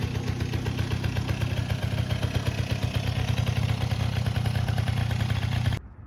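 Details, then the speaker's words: 1984 Honda Aero 50 two-stroke 50cc scooter, first run in 5 years after a carb rebuild, air mixture screw about 1.5 turns out: steady even burble with a quick regular pulse, no misses or rattles; normal idle, slight smoke. "so i have uh the idle set pretty good i think um the air mixture screws like one and a half out that's about perfect and uh this thing seems to be running good"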